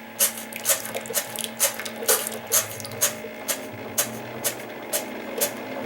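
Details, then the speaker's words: Keurig K60/K65 that won't brew, medium cup attempted after turkey-baster clearing of reservoir outlet: pump throbs in sharp hissing pulses about twice a second, no flow through, pressure venting out rear overflow via bypass valve; clog in top end/needle. "okay good so what you couldn't necessarily see there was we're now getting water out of this overflow back here"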